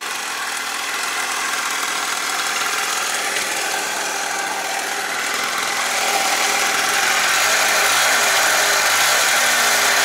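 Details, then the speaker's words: Two-stroke scooter engine after second cylinder fitted, honed 0.25mm for better compression, starting break-in at idle; fast, even buzz at slightly raised idle, accepts throttle, running cleanly. "Ajde da vidimo da li radi na leru. Radi, prima on i gas, ali bolje nek radi"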